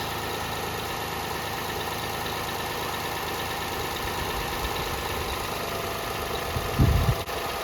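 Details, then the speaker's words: 2006 Toyota Highlander 3.3L V6 after water pump replacement: steady, even idle with smooth low rumble, no knocks or misses; firing cleanly, normal idle. "Sounds good, she's running good, she's firing good."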